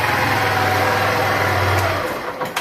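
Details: Honda Bros 150 motorcycle with a reported engine noise: small single idles smooth and even with a steady low beat, no knocks or rattles, then shuts off cleanly; sounds healthy.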